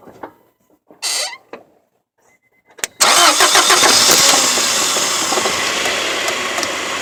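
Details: Honda H22 engine catching and settling into a fast idle with a steady rapping knock over it; bad rod bearings.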